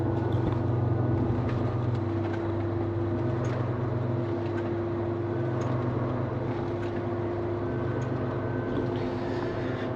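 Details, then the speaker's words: 2016 Ram 2500 4x4 driving on smooth road at cruising speed: steady low growl under road drone, quieter swerving right and louder swerving left; tires ruled out, worn front wheel bearing hub assembly. "I hope you could hear that the growling noise got quieter as I turned right and got louder as I turned left um pretty much yada yada yada it's a front wheeel bearing"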